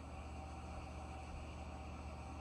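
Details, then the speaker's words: 1,500 W water-cooled spindle on a 6040 CNC, coolant washer fluid and distilled water, at low speed: quiet steady low hum with no knocks or grinding; spindle runs smoothly. "so used to routers and loud air-cooled spindles that that is really quiet and of course we're not going very fast here"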